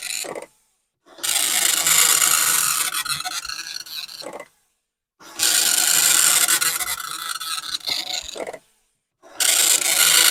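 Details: Commodore 1525 dot-matrix printer for the VIC-20/C64 running in self-test mode: bursts of rapid, raspy buzzing a few seconds long with short silent gaps as each line prints. It is printing normally.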